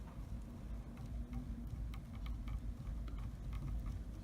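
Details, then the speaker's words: MK2, sharp uneven clicks two or three per second as belt teeth ride up and pop over the side of the idler pulley, worsening toward the edge. "the click is the teeth clicking when it pops past the side of the pulley and I just gets worse the closer you get"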